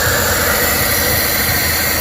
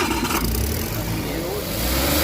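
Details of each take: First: Suzuki turbo engine (DA64/DA63/DA17) first running after a crank-no-start fault with no ECM communication and P0707 shift switch code, system not fully reassembled: steady fast idle with loud airy hiss, high because the turbo intake is left open. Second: Suzuki automatic, after repairing burnt wiring that caused cranking-no-start with no ECM reading or shifter indicator lights: catches cleanly, revs smoothly and settles without misses or knocks; healthy start and rev.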